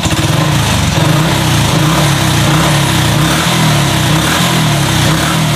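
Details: Honda Revo FI fuel-injected motorcycle, injector replaced, after adjusting throttle position to cure stumbling (brebet): quick, even buzzing beat with no stumble or popping, engine pull matches throttle and holds idle; normal throttle response.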